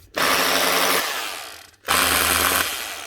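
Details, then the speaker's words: 20-year-old (circa 2005) Makita HR2450 SDS drill in for repair: two short trigger pulls, motor whirs up roughly, never reaches a strong hum, then coasts down; probably a burnt-out armature. "Right. That's probably what's wrong. Burnt out."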